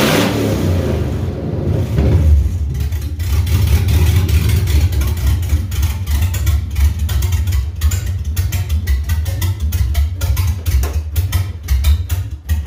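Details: 2003 GMC Yukon Denali 6.0-liter LS V8, donor engine for a Chevy K20 swap, exhaust and cats removed: starts and settles into a loud, choppy, throaty burble, firing evenly with no knocks; engine healthy.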